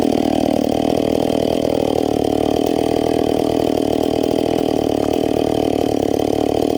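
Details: Stock, unpiped McCulloch Pro Mac 850 chainsaw cutting dried cottonwood before teardown: strong, even two-stroke howl holds steady through the cut without bogging or sputtering; revs up smoothly and quickly, pulls cleanly, healthy under load.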